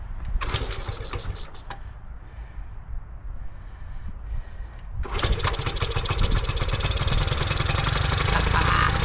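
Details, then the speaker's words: 1975 Honda ST90, cold, on choke, air cleaner off: a few sputtering tries, catches about five seconds in and settles into steady, even single-cylinder idle; finally starting and running normally. "there there it is finally finally it is running"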